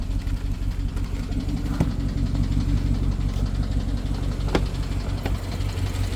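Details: BMW 750Li N63 V8 at idle after fuel injectors and high-pressure fuel pump were replaced: uneven low idle, occasional stumble, faint irregular tick; misfire, owner suspects timing chain, unconfirmed.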